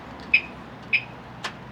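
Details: Audi door lock actuator just replaced, tested before the door panels go back on: two short, sharp clicks about half a second apart, then a softer snap; the new actuator cycles cleanly and the lock works.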